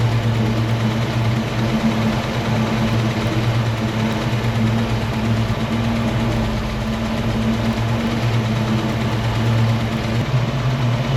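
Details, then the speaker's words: 1968 Mustang 302 V8, after installing a Pertronix Flame Thrower distributor and coil with Moroso plug wires, timing near its previous mark: smooth low idle with a steady hum and even beat, no misfire stumble or ticking. Idling happy. "It sounds like it's idling happy."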